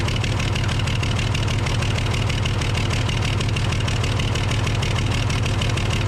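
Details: Case loader, 12-valve 5.9L Cummins diesel at idle: steady clatter about three beats a second with slightly lumpy, uneven rhythm; misfire from a bad injector causing power loss and overheating.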